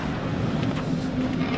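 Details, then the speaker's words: 1950s GM classic truck runs with a smooth, steady low hum, no knocks or misses; sounds like a pretty healthy engine, though the truck needs a few things. "it sounds good it sounds like it's got a pretty healthy engine in it"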